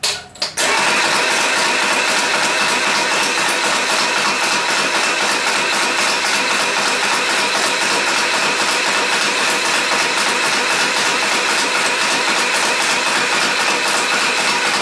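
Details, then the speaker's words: VW Type 4 engine, cranked with spark plugs out to build oil pressure: steady, even starter cranking about four turns a second, no firing; reached about 30 psi oil pressure. "I'm going to go and put the plugs in it see if we can fire it up"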